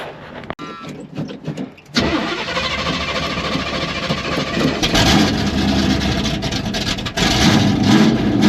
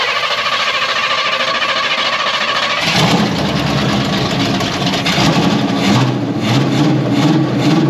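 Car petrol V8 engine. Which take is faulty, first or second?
second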